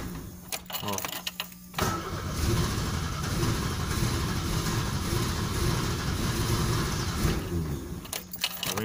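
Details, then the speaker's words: 1995 Chevrolet Monza 2.0, cold at 23 °C, low battery voltage, timing off, high consumption: engine catches after a few clicks, runs roughly a few seconds then dies; engine stalls after starting. "o Monza aqui tá bem ruim ele não para ligado certo"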